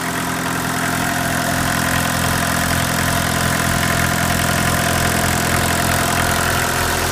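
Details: Mk1 VW Rabbit diesel with replaced overflow injection hoses, recorded on an iPhone near the engine: a steady, even idle clatter with a low drone and no misses or knocks; a normal, healthy diesel idle.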